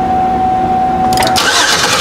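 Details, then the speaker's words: 2005 Chevy Equinox 3.4L with a crank-no-start: a steady starter whir as the engine spins over and over but never catches while the injector feed side is retested and shows no power, because the main relay is not turning on. "I'm going to go back to that power feed one more time the feed side of the fuel injector go ahead and crank it"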